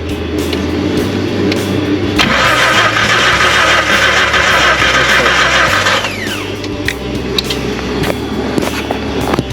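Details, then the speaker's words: 1991 Jeep Comanche cranking steadily about three beats a second without firing; spark at the coil but none at the plugs, pointing inside the distributor, where the rotor was found broken apart. "So we ain't got no spark coming out of the spark plugs, but we do have spark coming out of the coil, so it's kind of telling us something inside the distributor."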